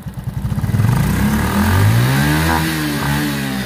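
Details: Honda RSX Fi scooter after its intermittent high-voltage spark was traced to a dead ignition coil: the engine putters at idle, then revs up cleanly on throttle with no stumble or loss of power, showing normal throttle response.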